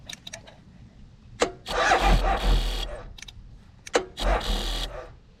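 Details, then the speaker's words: 1998 Suzuki Intruder 1400 V-twin that sat in a shed for years, fitted with new spark plugs, cranked wide open with clutch in: two short, sluggish cranking bursts that never catch, and the battery seems done. "kidding me? Is that battery done? Yeah."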